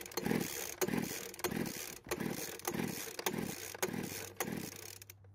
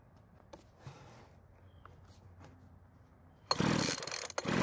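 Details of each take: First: Poulan Pro blower vac engine with worn rings, engine previously stuck, pull-cord compression test with oil added to cylinder: about 135 psi versus almost 100 psi dry. Slow uneven strokes about two per second, firm compression push; improved compression. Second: Poulan Pro two-stroke leaf blower vac with low compression (about 100 psi, 135 psi with oil in cylinder) starts with a sharp, loud buzz and runs about a second after quiet fiddling, confirming it runs before reassembly.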